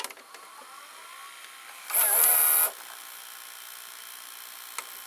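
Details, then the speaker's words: Toshiba M-3285C/M-3286C VCR with a replacement pinch roller fitted (it originally wouldn't fully load and its belt wasn't turning): pressing play gives a short, even motor whir as the transport engages, then quiet steady running, with picture working. Normal tape load and play start. "it say playing just fine and there well there the picture works on this VCR"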